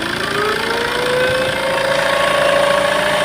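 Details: Tata Safari Storme diesel idling before repair, turbo actuator previously vacuum-operated: thin whistle rising steadily in pitch over clattery base, worn turbocharger with shaft play and damaged blades.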